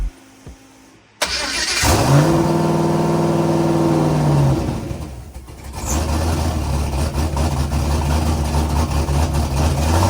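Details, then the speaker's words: Foxbody Mustang at start-up: it catches and revs, then the idle sags and climbs unevenly, searching instead of settling. Idle hunting caused by vacuum leaks and idle air control faults, later mostly fixed. "I left you guys with it running and you can hear it start to search I had some leaks idle control air issues but we got it all figured out for the most part"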